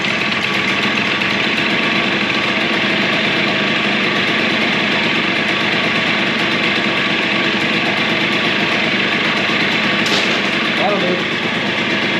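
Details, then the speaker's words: Suzuki DS90 two-stroke after rebuild with used replacement crank, first heat cycle, idle adjusted up as it was a little too low: steady, even buzz with a crisp high ring, no misses or knocks; runs clean, healthy idle. "all we got to turn the idle up just to Tad all right let's try that"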